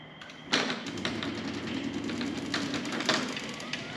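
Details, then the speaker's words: Genie 6172H-0 smart wall-mount jackshaft opener on a C.H.I 5916 insulated steel carriage door with nylon rollers and 15in radius track. A sharp jolt, then a light repeating panel rattle as the door starts down: a normal start-of-close shudder, milder on this door. "It's not very bad on that door, I think because it has like more weight on it coming down. If I were to do this door here, it shakes a little bit. You hear it's not bad, but just something to know that these are designed to do that."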